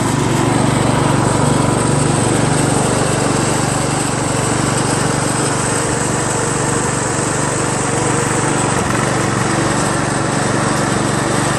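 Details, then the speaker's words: Craftsman LT1000 lawn tractor after new drive belt install (owner unsure it's the right belt), first test drive around the block: steady even drone at constant speed, a little noisy but no misses or knocks; running normally under load. "Seems to run pretty well. Well, I just went around the block. Seems to drive fine."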